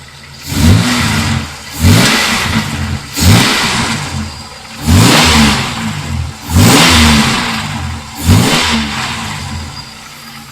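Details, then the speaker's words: 1995 Chevy Lumina with front-end body damage after hitting a deer: six clean throttle blips, each settling back to a steady idle with no knocks or rattles; engine still sounds good, damage apparently only cosmetic. "Um but yeah, the car still sounds good."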